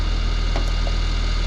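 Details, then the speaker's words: Trane XV heat pump outdoor unit, fan test: steady low droning hum with fine rapid flutter, a whining condenser fan motor that should be very quiet. "but that motor should not whine like that it should be really really quiet"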